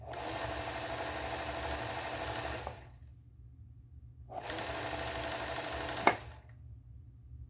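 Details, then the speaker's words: Singer 431G sewing machine with internal motor converted to low voltage, sewing denim: steady, quiet hum with smooth stitching and no grinding or labouring; healthy, powerful running. "there you go it's lovely nice and quiet and very powerful not to be abused of course"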